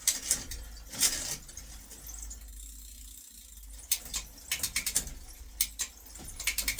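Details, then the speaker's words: Bicycle with new chain, new bottom bracket and dirty cassette, shifting through gears: sharp metallic clicks and squeaky ticking, poorly meshing; suspected lack of lubrication or slight gear cable stretch, cable replacement suggested. "as you can hear are squeaky they're also not great they're not meshing very well that could be lubrication it could just be a keep a little bit cable stretch"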